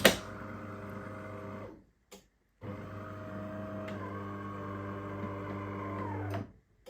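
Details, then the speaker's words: Used bean-to-cup automatic coffee machine (1200 W, double heating element) switched on during pre-purchase test: steady motor and pump hum running about two seconds, pausing, then four more, starting and stopping cleanly; sounds healthy. "See, it sounds decent. It sounds decent."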